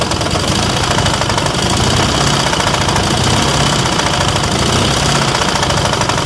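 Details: KMZ engine: a loud, rough, continuous clatter with a hard knocking edge. Something inside is knocking; the cause is not identified.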